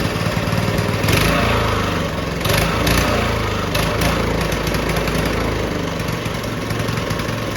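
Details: Early-1990s Russell Coyote Bullet go-kart, small single-cylinder engine, first start in 14 years after reassembly and refuelling: catches and keeps running on choke, a busy popping note that wavers a little and still needs some tuning.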